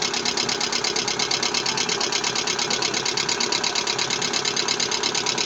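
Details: Lada Vesta engine knocking: sharp, even metallic ticking about three per second over idle, loud up top, from low oil pressure.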